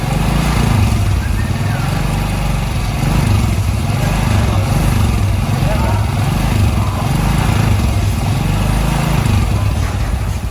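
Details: Suzuki Shogun after engine rebuild, with new spark plug and exhaust refitted; steady, even single-cylinder idle with a smooth low thrum and no rattle or knock. Engine running cleanly.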